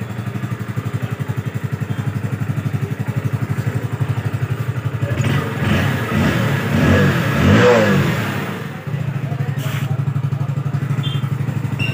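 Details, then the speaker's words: Hero Splendor Plus BS6 with starting fault and no FI light, fuel pump checked fine, after replacing faulty ECM: single-cylinder putters at a steady even beat about four pulses a second with a brief blip; running normally. "और अब आप लोग देख सकते हैं bike बिल्कुल एकदम start हो चुकी है।"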